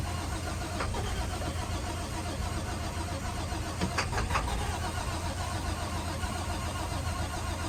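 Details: International WorkStar work truck: starter drones steadily at a low pitch throughout, engine never catches or picks up speed; cranks but won't start.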